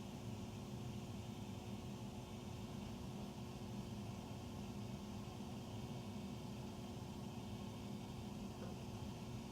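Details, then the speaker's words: Furnace running after 10 PM (08-20-14), heard in the utility room at the main duct. A steady, loud low roar with small noises between the loud ones and no knocks; the furnace is noisy and the cause is unknown. "Between the loud noise, there's tiny noise. Oh, this is loud."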